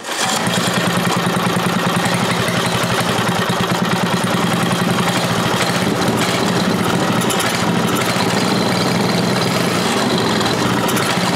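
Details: Briggs & Stratton 5HP engine converted from points and condenser to electronic ignition (temporary setup): steady fast idle with slightly ragged beat; uneven running, likely a carburetor issue.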